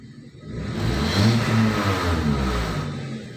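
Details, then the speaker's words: Nissan X-Trail T30 with RPM hunting between 1500 and 2000 after a tune-up: after the idle relearn procedure, the engine swells briefly, then holds an even, smooth normal idle. "oke sudah berhasil ya temen-temen ya rpm nya Normal"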